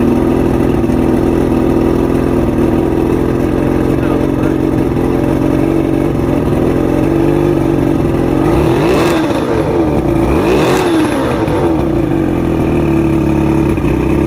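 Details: Two-stroke outboard, fully rebuilt with all-new electronics after three weeks chasing rough idle, surging and misfires: smooth even idle, then two clean throttle blips settling straight back down; runs properly.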